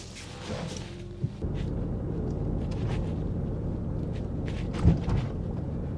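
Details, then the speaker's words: 2005 Nissan Elgrand E51 on a test drive after the front anti-roll bar drop links were replaced: steady low road rumble with one soft thump over a bump that used to trigger the noise, and no knock after it. Knock cured, suspension quiet. "yep it's cured there's a little bump there that always triggers the noise and in a significant manner so we can assume we done"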